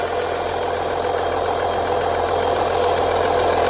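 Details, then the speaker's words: Audi Q7 3.0L (2014 or 2004) after valve cover gasket replacement for an oil leak, no leaks found: steady, even idle with a constant hum, no misses, knocks or ticks; normal idle. "so this engine sounds good I'm going to reinstall our engine cover"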